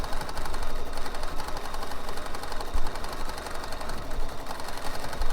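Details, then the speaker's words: Bernina embroidery machine stitching steadily with a light rattle in the rhythm, with under 8% of the bobbin thread left; the bobbin is running low. "I should have known because I can start to hear the bobbin rattle, and that tells me my bobbin's running low, even if I don't see the warning on the machine."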